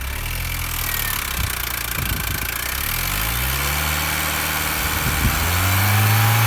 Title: R53 Mini Cooper S Tapping / Rattling noise